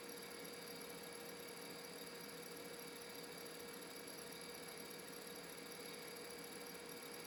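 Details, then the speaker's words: Aging laptop hard drive connected through an EZ-Gig adapter for reading or cloning: faint, steady high-pitched whine holding one pitch, the drive squealing as it starts to die. "As you can tell from the noise, it's starting to die."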